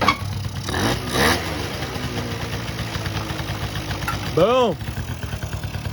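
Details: 1984 Honda Aero 50, a 50cc two-stroke, on its first start in 5 years after a carb rebuild. Catches after a couple of kicks, then idles raggedly with a quick rev blip; now starts and runs, smoking a little.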